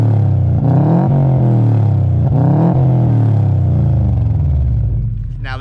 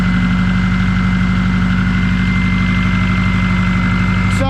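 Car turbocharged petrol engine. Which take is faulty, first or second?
second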